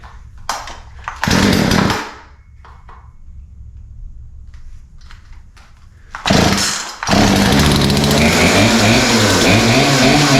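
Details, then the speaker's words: Poulan P3314 33cc 14in chainsaw, bought as a non-runner, started after more pulls and stayed running; after clattering and a brief rev it settles into a steady, even high-pitched buzz: runs normally, apparently only fault was chain off the bar; fuel lines hard, primer bulb old. "so yeah it actually runs so the only thing that seems to be wrong was the chain was off of the blade"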